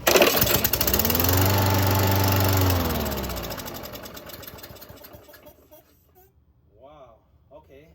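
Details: 2011 Craftsman lawnmower, model 247.371240, pulled after a carburetor cleaning and a new spark plug, with little fuel in the tank: it catches, runs about two seconds, then winds down and stops; fires but won't keep running.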